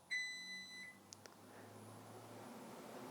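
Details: Vitality 1000ml hydrogen/oxygen machine started by pressing start: a single high, clear beep, a couple of soft clicks, then a low hum rising as it runs and bubbles through the humidification bottles. Normal startup.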